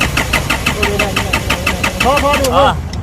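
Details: 2012 Isuzu All New D-Max, 4JJ1 diesel, stalls by itself even at idle: steady cranking about three turns a second with no firing; fuel spurts at the pump line, but the pump weakens after the first strokes, suspected fuel-pump fault, replaced.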